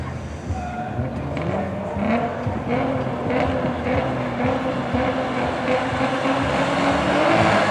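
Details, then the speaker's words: Old drag racing car at Santa Pod National Finals 2024, round one: engine screams up in first and hangs, bouncing like a rev limiter with no shift to second. "now if you listen close ly to the gears changing in the revs you will notice that going from first to second it sounds like it's bouncing off a rev limiter"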